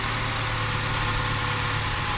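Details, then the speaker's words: 2011 Chevy Cruze after replacing the valve cover with its built-in PCV valve to fix a massive vacuum leak; ECU still relearning; smooth, even idle with steady low hum, no hiss, running really smooth. "Alright, so we are done with that one. It's running really smooth now."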